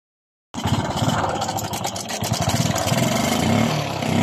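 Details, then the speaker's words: Suzuki Smash 115 motorcycle with an engine noise of unknown origin, judged by the mechanic to be the timing chain, to be confirmed by removing the round engine cover: a dry, uneven metallic rattle over a steady idle. "Sa tingin nyo, saan kaya nanggaling ang ingay na yan? Para sa akin guys, yan po ay tunog ng timing chain. Kapag lalo natin timing chain, yung ingay na yan ang lumalabas sa ating makina."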